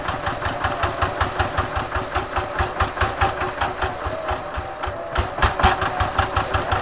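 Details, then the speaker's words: Single-cylinder diesel tractor that had hard morning starts, heavy smoke and no power from a weak plunger. After replacing the plunger it starts at low throttle with an even, steady thump, about 3.5 beats a second, and no misses. Normal idle. "ini sudah kita ganti ya sekarang ini di mana gas kecil aja sudah bisa nyala ya"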